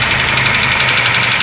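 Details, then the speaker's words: Ford Ka three-cylinder idling with an oil pressure gauge fitted showing low oil pressure; oil pump suspected: dense, fast metallic clatter over the idle, valvetrain clatter from low oil pressure. "Aí, galera, ó. A pressão tá baixa, tá vendo, ó? A pressão tá baixa desse motor."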